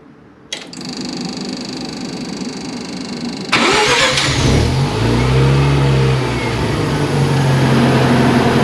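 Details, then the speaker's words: Mazda RX-7 FC3S, remote start test after Compustar CS920-S install with hood switch depressed: brief starter whir, engine catches at once and revs to an even steady note; clean, healthy start. "Beautiful. Works great. That's awesome."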